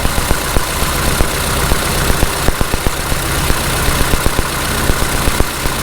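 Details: 1948 Farmall Cub tractor started cold at spring after an oil change, in temperatures in the 30s: a low, chugging idle with soft thumps about two per second, only slightly uneven and nothing metallic; normal idle.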